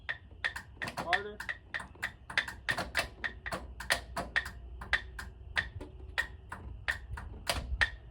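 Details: 1968 White cabover truck, sat over 25 years: sharp repeated clicks two or three a second with no cranking; starter ticking, weak battery suspected, not confirmed, batteries then swapped.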